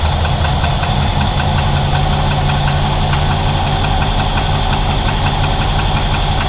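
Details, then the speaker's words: 1968 Chevrolet Impala V8 after a timing-chain replacement, cold start: light quick metallic tap over a lumpy idle; the tap mostly goes away when warm but sometimes returns, so the cause is still unknown and the new chain didn't fix it. "It warms up. For the most part, that tap goes away. And then just occasionally, it'll start that again."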